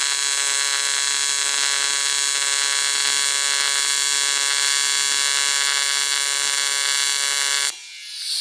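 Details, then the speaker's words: ARCCAPTAIN 200P AC/DC TIG in AC at 140 Hz, balance 20%, amperage increased: steady even high buzz for nearly eight seconds without sputter or popping; adjustment helped, stable AC TIG arc. "Definitely helps. Yeah, that's not bad at all."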